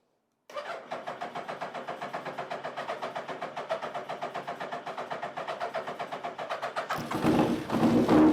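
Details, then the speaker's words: 1999 Gen 1 Suzuki Hayabusa after injector cleaning and new seals: catches and settles into an even idle pulse of about four beats a second with no pops or misses, unlike the earlier misfire-like pops and bangs. "well there we go um she hasn't run for quite a while um properly and that sounds the best it's ever sounded um it's not missing it's not popping and banging"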